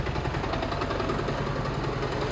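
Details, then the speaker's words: 1987 Porsche 924S just started after a new Bosch fuel pump: uneven lumpy stumbling idle, missing on a cylinder; owner suspects injectors not all firing, no leaks seen, oil light flashing despite good oil pressure. "let's pop this hood i don't think we're firing on all the injectors actually let's check make sure we're not leaking anything i don't see nothing"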